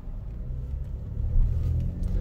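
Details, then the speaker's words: Traverse with a branded title and tow package on a test drive around the block at half throttle. A smooth, deep rumble swells evenly with no knocking, whine or hesitation; the engine sounds healthy. "okay so I'm going to give it about half throttle [Music] here sounds really healthy"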